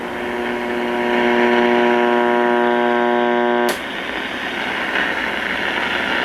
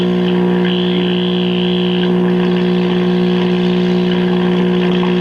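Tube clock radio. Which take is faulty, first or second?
second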